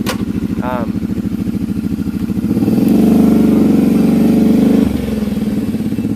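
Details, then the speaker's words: Kawasaki KFX 700 ATV after carburetor cleaning, revving then decelerating off throttle with no pops or bangs; previously backfired at idle and on deceleration, now clean, apparently fixed. "right there when I decelerated would have popped before [Music] same thing so so it it pretty much sounds like it did before um before it started having that issue"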